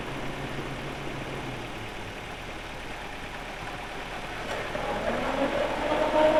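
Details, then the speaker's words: Car's electric radiator extra fan running with a steady whoosh over the idling engine after its rusted, dragging bushing was greased; the earlier creaking "krek krek" noise is gone. "Nah, setelah dipasang tadi setelah dia dikasih gemuk dan bunyinya hilang."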